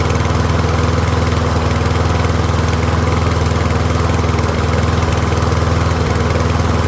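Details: Troy-Bilt rear-wheel-drive mower with Briggs & Stratton engine, after ultrasonic carb cleaning, warmed up and left running on partial fuel, pretty quiet: steady, even single-cylinder beat at constant speed, no misses or surging; running smoothly.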